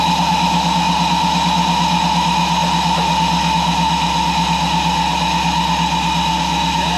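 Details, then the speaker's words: Supercharged truck running after its in-tank fuel pump upgrade: steady, even engine pulse with no misses or knocks, and the pump is quieter than before; normal running after repair. "So we're going to see how it is. It's not as loud as it was, so that's pretty sweet. So see if it fires up on the new pump."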